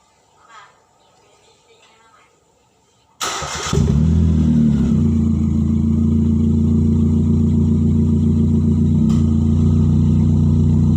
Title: Exhaust leaks sound like Lamborghini?